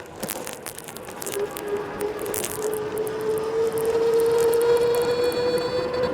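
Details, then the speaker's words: DIY eBike conversion with a 500W front hub motor and 36V 20Ah battery, ridden at half throttle. An intermittent thin squeal near 500 Hz comes and goes and creeps up in pitch; the rider attributes it to resonance from the front hub motor, not yet fixed. "i have resonance on the front uh with this wheel it sort of comes and goes out you hear that squealing that's resonance occurring from the from the motor"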